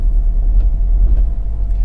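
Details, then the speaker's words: BMW Z4 just bought cheaply, service overdue 38,000 miles: low uneven stumbling idle, running on three cylinders with heavy shaking; flashing engine light, owner hopes it's just a coil pack. "well we've got quite an obvious misfire there i wonder whenever the engine light's not on that's that's quite bad that's running on three that"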